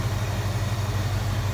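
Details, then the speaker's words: Idle of the 289 V8 in a 1966 Ford Mustang convertible (GT-style exhaust, power steering, front disc brake conversion), recorded with the hood open. An even, steady low rumble with no ticks or misses; the engine runs smoothly, a normal healthy idle. "Look at how smooth that runs."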